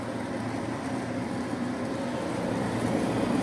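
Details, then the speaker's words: Carrier Infinity 58MVC080 furnace, flood-damaged, after gas valve replacement: igniter glows, gas valve clicks, four burners light with an even, steady rushing roar, no puffs or flutter, blower fan to follow; normal burner operation. "there you can see the burners that fired. There are 4 burners in there. It fired, and within a few more seconds the blower fan will turn on."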